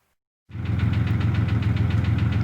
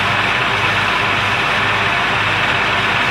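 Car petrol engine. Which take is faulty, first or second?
first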